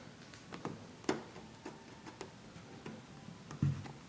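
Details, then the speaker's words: 2012 Jeep Wrangler Rubicon Unlimited: light, uneven hollow knocks about every half second heard behind the driver's seat when the door handle is pushed in slightly; something loose in the latch area is striking, cause unconfirmed. "It's kind of the knocking sound I'm hearing from the back. I don't know what the hell it's hitting."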